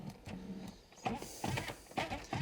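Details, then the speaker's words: 1991 BMW E31 850i power seat motor after its cable was trimmed and refitted. Short, even whirring bursts that start and stop cleanly; the up/down function now works normally, though front/back movement still does not. "now we can pop this back into the motor up and down function is now fully"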